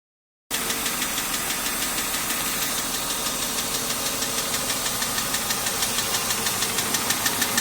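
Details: BMW M52 inline-six at idle, ticking only above 85 °C engine temperature, louder over last 6 months; tappets (HVA) and guides already replaced; hot oil pressure at cylinder head only 2.25 bar at 5000 rpm. Sharp even tick about three per second; cause unknown.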